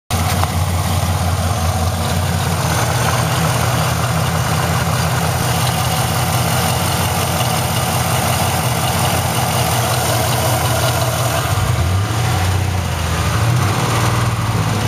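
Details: Chevrolet LS1 V8 at idle: a fast, steady ticking over the low rumble; exhaust leak or lifter tick, cause undetermined.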